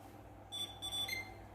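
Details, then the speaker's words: Indonesian PC serviced for no display output, unused 1–2 weeks, powered on after checks: one short clean POST beep over faint fan hum; the system then boots and shows on screen. "sekarang kita akan tekan tombol powernya dan PC sudah menyala dengan baik Oke kita tunggu Apakah dia mau tampil"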